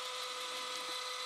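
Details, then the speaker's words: Sony WM-10 cassette Walkman, about 35 years old: on rewind the tape motor gives a loud, steady high whine with no wavering or grinding, sounding strong and healthy; the motor runs on a couple of seconds after stop. "so let's uh rewind it yes and as you see the motor is a strong and loud"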